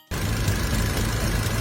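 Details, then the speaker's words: Car petrol engine idling after a fix for severe engine vibration: steady, even low hum, engine now runs very smoothly with no misses or knocks. "perfect the engine runs very smoothly"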